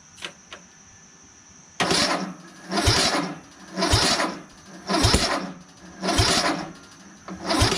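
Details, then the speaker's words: Craftsman LT1000 lawn tractor repowered with a rebuilt engine and a new but possibly stale battery, on choke: sluggish cranking at about one heavy chug per second, with pops but no start. Owner suspects the battery is too weak and plans a jumper. "so it is igniting the fuel but i don't think this is turning fast enough so i think we need to put a jumper on the battery"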